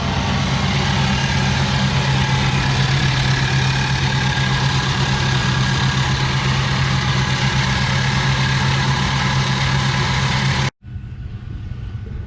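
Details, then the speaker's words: 2003 Mercury Mountaineer engine idling with a constant high squeal and whine over the steady rumble; traced with a stethoscope to a loose, worn idler pulley bearing. "I used a stethoscope and I narrowed it down to uh this iser pulley right here"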